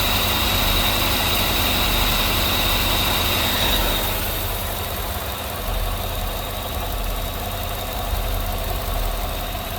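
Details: Idle after deleting the junk vacuum pump that mimicked lifter noise, holes plugged, brake booster teed to the intake; even, steady idle with a smooth low drone and quick regular patter, no ticking.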